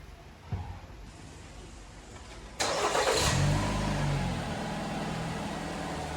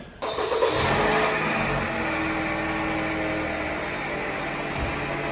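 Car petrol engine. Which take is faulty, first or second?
second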